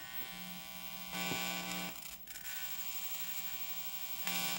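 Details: On a 1980 Philips TV that arrived with no sound or picture, the audio has a harsh, steady electrical buzz that swells in short bursts. It is caused by dirty volume potentiometer contacts.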